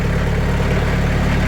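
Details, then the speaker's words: Sawmill engine at idle after applying 80 mil (2mm) sound-deadening mat to the doors: steady, low, even idle with no rattle on top; door panels still vibrate but are no longer heard, and it is quieter. Normal idle. "Let's see what she sounds like. It's quieter."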